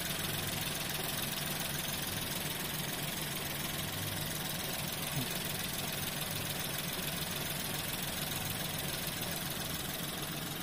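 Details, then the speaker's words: Nissan Pixo/Micra or Suzuki Alto small petrol engine idling after throttle body cleaning to cure unstable idle: steady, even hum with no hunting or stumbling; normal idle. "pour moi c'est bon les amis pour moi en fait c'était ça c'était ça qu'il fallait nettoyer c'était tout à fait ça qu'il faut nettoyer"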